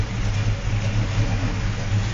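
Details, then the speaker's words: Freshly rebuilt V8 muscle car at idle: deep, choppy, uneven loping pulse from a hot cam, not a street sound; engine steady and healthy, oil pressure at top of gauge. "it's you've got that cam sound about it it's just not a street sound there"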